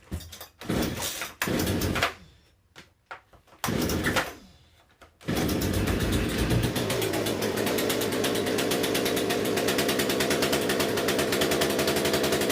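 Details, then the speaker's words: Poulan P3314 chainsaw just after swapping in the correct replacement carburetor: after a few pulls and stumbles it catches and holds a steady, fairly even buzz; runs far better, may need slight fine-tuning. "I started up you can hear it probably needs a little fine-tuning but that runs a way way better than they're trying to Carver that was in there"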